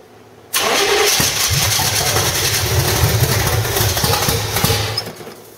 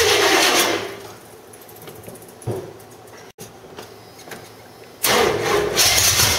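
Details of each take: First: 1985 Stepside with headers, cammed motor with roller rockers, claimed 400 hp Corvette engine: long uneven cranking, then catches and runs rough and loud, slowly settling; gummed-up old carburetor slow to pass fuel. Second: 1985 Stepside with reportedly 400 hp Corvette engine, cam and roller rockers, headers, gummed-up old carburetor: catches then settles into loud, lumpy idle with steady cam lope through open exhaust; sounds healthy.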